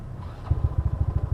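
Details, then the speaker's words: Yamaha Mio Fino scooter, 160cc, with 28mm roundslide carburetor, cold start after fixing a hard-starting problem from before. Engine catches and settles into an even, steady low thump around eleven beats a second without stalling. Normal cold start idle. "Yan. So, ayan yung cold start na guys. Yan yung tunog. Kung naririnig nyo. So, kung nakaraang video sablay, hindi siya ma-start ngayon, okay na siya."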